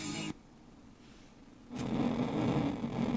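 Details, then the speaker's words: Morse 2500 AM/FM stereo receiver from about 1977, FM section with muting switched off: brief quiet, then a steady hiss with low hum. The owner thinks the noise is always present, the station is weak and normally muted, and blames computer and camera noise nearby. "it works but this I think this noise is there all the time say the station is there but it's muting it because it's weak we have so much computer camera noise here"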